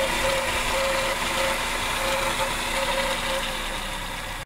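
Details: Car radiator cooling fan motor making excessive noise before repair; steady whirring hum with a faint ringing whine on top, constant pitch, indicating a worn fan motor bearing; motor then removed for repair.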